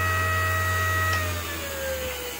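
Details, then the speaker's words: ART-13 transmitter dynamotor on the bench during the 750 V output test, reading 860 V on the high side but working fine. A steady high hum with whining tones that ease slightly lower under load, no grinding. Normal running. "all right and as you can see we have 860 volts again on the high side but it seems to work fine"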